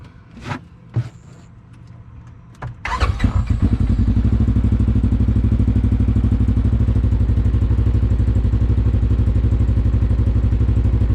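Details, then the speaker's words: 2020 Polaris RZR 1000 XP Highlifter after an All Balls fuel pump replacement: a few clicks, then the starter catches and it settles into a steady, even idle with no leaks; normal start and idle. "up let shut her down and we have no leaks and that is how you install the fuel pump on the 2020 Polaris Razer"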